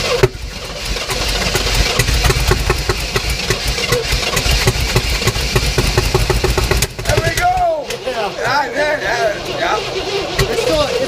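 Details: 1967 Oldsmobile Toronado V8 after long storage, new plugs and wires, fuel poured down the carb; catches and runs roughly, stumbling and sputtering with uneven beats, running only a few seconds.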